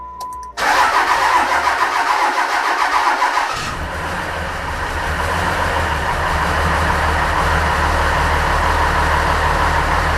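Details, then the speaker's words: Ram 2500 5.9 diesel first start after engine rebuild, air in the fuel lines and oil pressure building: starter grinds for a few seconds, then the engine catches and settles into a steady, even idle with a low rumble. "i'll crank it over some more and keep doing that until it actually fires up now the fuel will take a little while to build up too because there's so much air in the line so i might have to take some cranking anyway"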